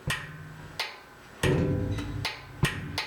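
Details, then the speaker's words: Newly installed Whirlpool/Kenmore washer lid switch: several crisp separate clicks as the lid actuator is pulled down, showing the switch is engaging and working properly. "When you pull this down, you should hear it"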